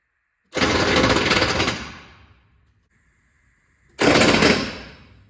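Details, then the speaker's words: Forgotten Chevy C10 truck, first start attempt in over a decade, cranking: two harsh rapid grinding rattles about a second each, no catch; end of starter looks broken off, possibly missing teeth, flywheel looks okay. "all right so using the starter h a bit of a funky noise if you can see the starter in here looks like the end of our starter broke off"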